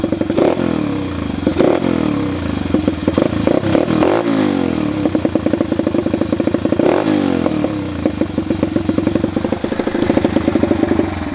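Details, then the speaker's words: Dirt/pit bike (Chinese bike) with idle speed adjusted, choke closed, bog test: crisp throttle blips rise cleanly with no stumble, then revs drop straight back to the same steady idle; no bogging, healthy carburettor setup. "doesn't seem to be bogging and it goes right back to the same idle after we guess"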